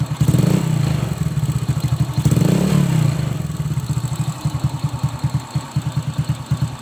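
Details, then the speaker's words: Old Honda Supra X motorcycle after valve clearance adjustment for a rattling cylinder head: single rev and settle, even smooth exhaust pulse, top-end ticking much reduced; slight remaining noise possibly from worn valve tips or rocker. "Ini sudah tidak seperti tadi ya sebelum penyetelan klep. walaupun masih ada sedikit ya, itu bisa dikatakan barangkali ada pucukan pada klep yang sudah menatu sedikit, itu juga bisa ya."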